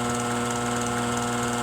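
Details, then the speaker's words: Furnace blower motor bench-run on a wood/metal table at high speed: steady loud hum with several fixed tones and a faint rough rattle, noisier than medium; worn blower motor bearings. "so that was this was medium so that's pretty good right works here's high that's the noisy one"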